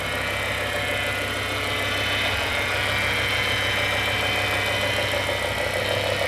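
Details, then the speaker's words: Revived E60 BMW M5, S85 V10, 6-speed manual, warming almost to operating temperature before an oil drain: steady idle with a thin constant high whine from the power steering pump, finally quieting down; no warning lights. "Just the stupid power steering pump. Finally quieting down."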